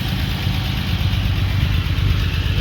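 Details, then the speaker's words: 1945 Jaguar MK4 2.5 after coolant pipe replacement and engine flush, warm after about five minutes idling, bonnet on, old plugs in: deep, even low rumble with no knocks, misses or squeals; smooth, steady idle. "Okay, so she's been idling for about 5 minutes, and we put the bonnet on, and I'm going to take her for a spin."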